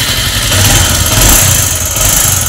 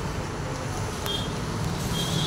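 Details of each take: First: Bajaj Avenger 220 motorcycle idling with a loud metallic clatter and uneven knocking from badly worn internals. It is due its second engine rebuild, has lost compression and will not move in gear. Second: Bajaj Avenger 220 on its second engine rebuild, test ride after repair and reassembly: steady even engine drone under road and wind noise, no knocks, ticks or rattles; running normally.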